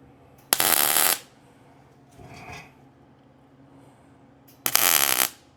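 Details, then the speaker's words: Welding onto a rusty antique vise grip after the metal cooled: two harsh bursts of crackling, popping arc with spatter, welder backfiring, blamed on rust and likely oil on the part. "So now we're cold. You can hear that welder backfiring a little bit."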